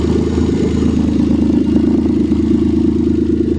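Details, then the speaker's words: 1989 Dodge Caravan started after sitting, with no radiator fitted and possibly out of oil. Loud, raw engine note with an uneven ticking pulse of about two per second; the exhaust is suspected to have rusted out while it sat. "like the exhaust rusted out since it's been sitting here"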